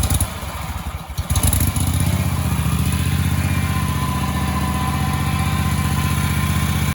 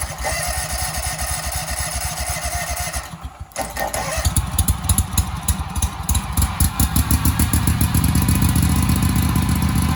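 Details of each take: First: Husqvarna commercial zero-turn mower that sat 4 years, after new gas, starter and ignition coil replacement: short crank, catches within a second or two, then settles into a smooth, even putter until shutoff. It has a normal, easy start and idle. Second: Husqvarna commercial zero-turn mower that sat 4 years in storage, running without its air box cover: catches after a stumble into a lumpy, uneven, rich-sounding chug and starts extremely hard; owner suspects the missing air box cover, unconfirmed; fuel dripping somewhere.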